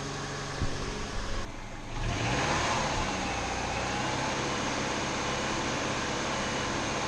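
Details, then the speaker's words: Subaru 2.5TS non-turbo wagon, junkyard replacement engine just swapped in, first start to bleed the cooling system: catches and runs steadily with a smooth rev, no knock or tick; quieter than the old motor. "well I think it sounds a lot quieter than the old motor"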